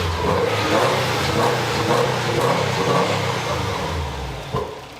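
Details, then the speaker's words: WRX-swapped GC8 Subaru Impreza after engine install with full tune-up and new gaskets, engine cold so not revved hard: deep throaty engine blipped a few times, revs rising and falling cleanly with no knocks or misses; healthy. "that sounds like a v8 for anybody wondering cool attempt is 180. so i'm not revving around a cold yeah everybody relax"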